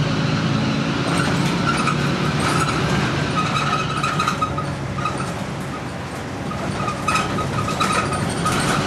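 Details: Stagecoach Fife Volvo B10M bus with Alexander PS-type body, in service in 2012: a thin high screech comes and goes over the steady diesel drone and road rumble while driving. Source not pinned down.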